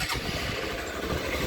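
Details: Motorcycle whose owner complains of clutch noise and vibration felt only when the clutch lever is pulled: engine starts and settles into an even, steady idle with no rattle or knock with the lever out; normal.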